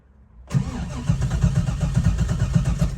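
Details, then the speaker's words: Engine with Holley Terminator X EFI, key on: starter cranks about four beats a second, never catches, and the EFI screen reboots while cranking. Battery or key-on cranking voltage drops too low, so crank, no start. "So, when I have it turned on, whenever I crank it, there should be enough battery voltage that that does not shut off."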